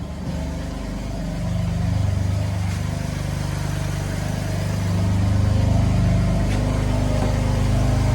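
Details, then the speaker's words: BMW M4 at about 30,000 miles after reinstalling old spark plugs when new plugs gapped 0.020 ran poorly: deep steady idle, even firing, no stumbles; running normally. "All right, so I have the engine running. It sounds way better. Sounds more normal."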